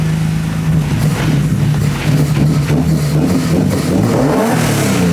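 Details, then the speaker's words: S52-swapped BMW E30 on the first start after fitting ITBs with a revised, less sensitive throttle linkage, where revs used to jump straight to 4000: a deep idle now rises gradually and evenly, with smooth, progressive throttle response. "now i heard i heard you rev it like nice and slowly up you can ease into it"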